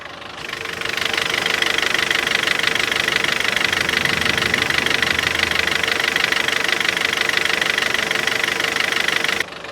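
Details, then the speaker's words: 2014 Kia Cerato petrol engine at cold idle: rapid, fairly even ticking, about three taps a second; several mechanics variously blamed a piston, misadjusted valves or a pulley, cause unknown. "Uns fala que é pistão, outros falam que é válvula desregulada, outros falam que é polia, outros um monte de coisa, um monte de coisa."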